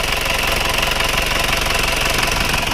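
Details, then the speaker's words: Isuzu Panther diesel with smoke from the dipstick and oil filler cap: harsh idle with hissy chuffing rasp over a fast rattle, a light compression leak past worn rings, not yet hot; fix is engine teardown and ring replacement; blow-by. "Jadi kalau kondisi seperti ini ini adalah bocor kompresi ringan belum bukan botol kompresi berat tapi bocor kompresi ringan"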